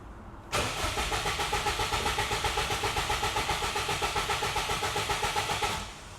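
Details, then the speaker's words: Subaru WRX bought cheaply as a non-runner, unknown time since last driven, possibly stale fuel, radiator found empty with cap missing: catches and idles with a lumpy pulsing beat about five seconds, then dies abruptly; owner suspects an electrical fault. "It seems more like an electrical fault the way it's switching off. So, going to have to do a bit more investigation."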